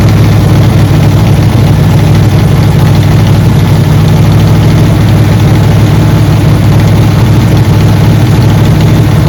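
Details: Camaro V8, started after sitting 6–7 days in alternating cold and hot weather, not yet tuned: a deep, loud idle with a slightly uneven, lumpy pulse and no clean steady beat. The engine is idling rough.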